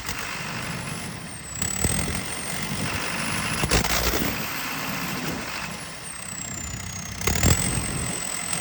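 Diesel idling unevenly with an irregular stumble and lopsided beat instead of a smooth run; sounds like a misfire.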